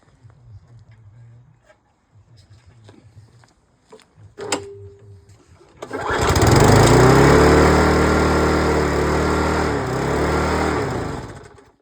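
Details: Mountfield LS45 mower with Briggs & Stratton engine, after carburetor bracket repair and exhaust tacked back on: catches after a pull and settles into an even, steady run with no rattle or misfire; running healthy.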